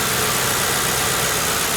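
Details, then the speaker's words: Ford Crown Victoria bought at government auction without test-running, petrol V8 idling evenly and smooth with light quick normal injector ticking, no rod knock, no real vibrations; normal idle. "there is no strange noises I went and bought this car from the auction without even running the motor first which is taking a big chance but I lucked out it's making the normal clicking that's coming from the injectors"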